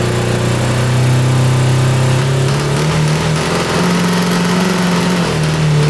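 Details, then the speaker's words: 1982 Honda CB750 DOHC cross kart engine: wavering low tone dipping and surging, stumbling as if to die; running better but won't idle properly. "it's definitely running better but it still doesn't feel quite right"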